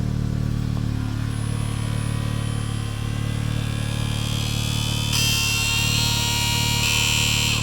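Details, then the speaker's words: Gen 5 Haldex pump motor on an MQB Audi S3, activated via diagnostics with engine running after repair, mic placed underneath near the coupling: steady low electric hum with fast even buzzing, no grinding or stutter — normal Haldex pump operation, fault fixed. "we have activated the pump motor and if we go under here now we should hopefully try and hear the pump mote to do its thing"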